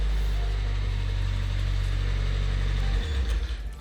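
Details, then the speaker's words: 1999 Nissan Silvia S15 after removing the starter (previously engaged but would not turn over): starts right up into a low even idle rumble with no misses or knocks; normal idle. "so the car finally starts right up sounds great"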